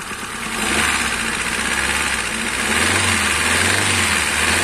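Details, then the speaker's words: Used Kia Picanto petrol engine idling then revved slightly with a faint rough clatter; a fallen bolt was found under the valve cover, but the diagnosis is a worn, damaged camshaft and its seat; noise reduced somewhat after repair. "الحس تع شويه انقص لكن التشخيص تاعي ما قلتلكم الاربك هي اللي رادي في المشكل هذا"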